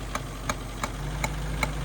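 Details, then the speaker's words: Abandoned Mercury Capri Turbo RS, turbo four-cylinder with 4-speed, first start in 23 years, rough uneven idle with vacuum leaks: sharp regular ticks two to three per second, intermittent; owner suspects a cracked exhaust manifold, not confirmed. "That is interesting. So the exhaust manifold's cracked."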